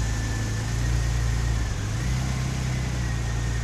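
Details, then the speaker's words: Porsche 996 Turbo flat-six at cold idle, started cold after replacing only the fuel pump relay; deep, smooth, even idle with no stumbles, scan tool shows cylinder 3 and 6 misfires cleared; normal cold idle. "this is what the misfires look like after i changed the fuel pump relay that's the only thing i changed i have changed"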